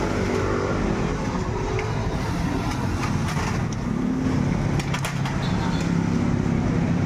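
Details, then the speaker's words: Honda TMX155 single-cylinder after replacing camshaft, timing gear, cam follower and shaft, piston repair and carburetor adjustment: steady, even idle with only a faint light tick, normal for a TMX; quiet, back to normal. "Tahimik na, balik sa dati. May konting lagitik ingay, konting normal na lang po yun mga brothers."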